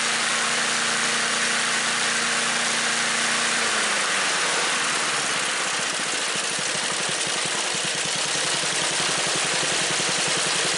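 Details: Small single-cylinder mower engine after fitting a new aftermarket carburetor, following earlier clattering: settles from a steady high hum at wide-open throttle into an even, fast popping idle, running smooth and holding speed.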